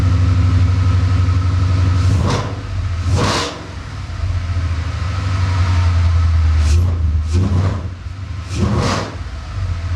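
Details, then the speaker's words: V8 Mustang cold start just after the spark plugs were refitted, light revs to about 2000–2200 rpm; uneven, hesitant stutter that disappears once warmed up; owner unsure whether the tune or something else causes it. "I did give it a few small revs nothing over like 2 000 or maybe like 2200 RPM and the reason why I did that is so you could hear a little bit of kind of like the stutter that it does"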